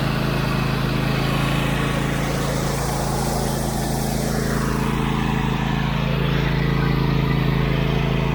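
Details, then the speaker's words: Husqvarna YTH24V48 twin-cylinder riding mower after replacing a vacuum line and fitting a spark plug, started on choke: a steady, even drone with a constant low pulse and no misses. Normal running. "We're going to go ahead and fire this thing up, and my test pilot Caleb is going to probably give it a test drive around the yard and see how she runs."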